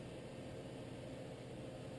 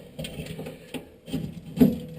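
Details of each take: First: Whitfield pellet stove, completely cold after sitting, thermostat raised to start it, running in slow mode before feeding: quiet steady low hum and airy rush with no knocks or rattles. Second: Whitfield pellet stove auger with its motor removed, pellets jammed inside the tube and sawdust coming down. Uneven grinding clunks and creaks in bursts as it turns. Auger binding from jammed pellets.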